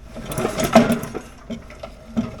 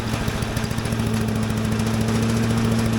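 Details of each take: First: Little Wonder blower with a Briggs & Stratton engine: rattly clatter during a starter cord pull, then loose clunks as it winds down; owner fears crankshaft damage and the housing looks possibly cracked. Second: Little Wonder blower with Briggs & Stratton engine, started on choke with a little throttle: even single-cylinder thump about three beats a second, speed rising smoothly, slight shaking but not bad; running normally.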